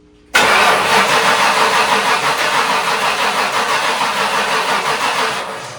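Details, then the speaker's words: 1997 Ford F-250 with 460 gasoline V8, cranking on a different battery; steady, slow-feeling cranking for about six seconds but never catches; owner concludes a fuel issue, cause of no fuel unknown. "It is a fuel issue. But why are we not getting fuel?"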